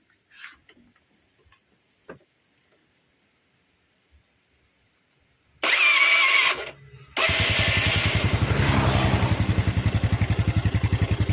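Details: Yamaha Mio scooter with starter slipping, after the ground cable was clamped directly to the engine body: quiet, then a brief starter whir, then a steady rapid chug near 220 per minute; the starter now spins, but the one-way clutch still slips and does not engage.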